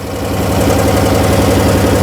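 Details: 2014 Chrysler Town & Country 3.6L V6 at idle, P0300/P0305 with cylinder 5 misfire, running rich (-33 trims both banks), low manifold vacuum 2.3 inHg; new plugs, coils, injectors didn't fix it. Steady idle with regular lumpy stumble, several beats a second: misfire from low compression.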